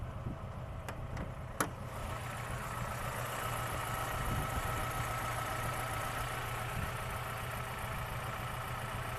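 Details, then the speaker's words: Idle heard from outside the car: quiet steady running with a faint irregular knock about two beats a second; the car also vibrates its mirror and steering wheel at idle; cause unclear. "Не знаю, слышно, нет этот стук. Долбит прям ощутимо."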